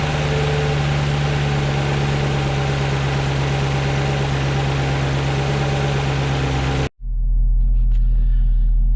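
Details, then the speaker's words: 2018 6th Gen Camaro just after Corvette C8 LT2 intake manifold install, not yet tuned: steady, even V8 idle with deep smooth burble, no misses, ticks or knocks, no check engine lights; normal idle. "right, guys, idling down just fine. Everything, no check engine lights."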